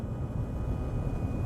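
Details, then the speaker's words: 2014 Ford F-150 on a test drive at highway speed: deep steady growl/groan from the front under road noise, louder when swerving loads the left front, pointing to a probably worn left front wheel bearing. "sounds like the noise is in the front hear that kind of like growling or groaning noise"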